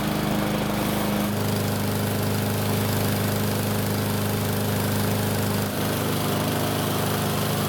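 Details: Cheaply bought used lawnmower on a test run, starting on one weak pull with its drained gasoline reused: steady but rough, uneven run with a pronounced low shaking beat throughout; a bent blade unbalances the deck, and the engine leaks oil at the front.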